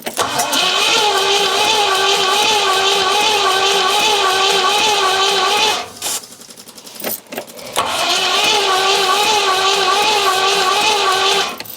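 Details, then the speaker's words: 4.6 litre Rover V8 first start attempt: steady starter cranking about three compressions a second, pauses, cranks again with no fire; intake appears dry past the dashpot, owner suspects starting spray not burning. "It's just not doing anything at all. That's really odd."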